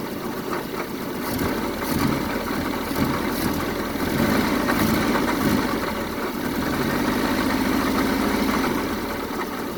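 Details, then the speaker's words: 1974 Honda Civic series 1 Mk1 after new spark plugs were fitted: uneven, lumpy idle with an irregular stumble. It is still misfiring, and a compression check is planned; cause not found. "Well, it's running, but it's not running at its best. Let me check. It's running, but not the best right now,"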